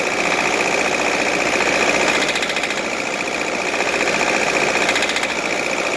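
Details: Nissan D24 diesel running with a busy, irregular knocking clatter at a few beats a second; the engine also smokes, knock source unclear.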